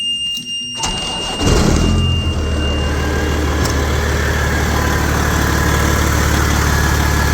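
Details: 1994 Kenworth T600 with a 12.7 L Detroit Series 60 diesel, start after replacing exhaust manifold gaskets and bolts: cranks, catches in about 1.5 s, then a steady even low idle with no puffing or ticking.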